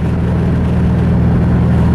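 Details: Mazda 3 right after the engine blew following a clutch dump: deep, loud droning engine with a heavy low throb, now sounding like a Subaru and running rough from internal damage.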